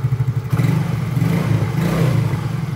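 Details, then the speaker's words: Yamaha Mio scooter after replacing dead ECU (installed with ignition off), started with no MIL blinking: steady, even single-cylinder putter with regular low thumps, no misses; normal idle. "Oke, nah, oke, sekarang sudah normal, sudah beres ya."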